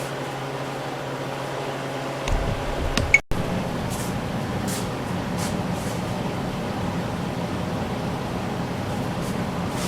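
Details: Large Harvest Right freeze dryer, freeze test in functional testing mode: a click, then the compressor kicks in with steady even hum and fan rush, no knocking or rattles; running normally.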